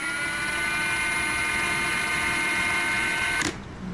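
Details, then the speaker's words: 2023 Ridgid 18V R86211 Octane impact wrench: high steady whir with slight waver and surging, then cutting out. Intermittent fault runs slow regardless of speed setting or battery, including the older 9 Ah Octane battery; unit was replaced under warranty. "that's weird you can hear how it's wavering it's kind of surging every once in a while"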